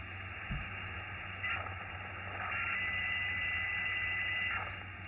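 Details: Xiegu X6100 ham radio receiver with 3D-printed rail cage: steady pure whistle at one fixed pitch over receiver hiss, RF gain needs turning down to about 60%; internally generated receiver birdie.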